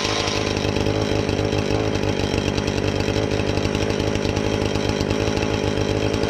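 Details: Husqvarna 450 X-Torq chainsaw that wouldn't run, new chain and bar fitted, started to check and adjust the carb (special adjusting tool bought): steady, crisp high rev with even firing, no stumbling or surging; normal healthy running.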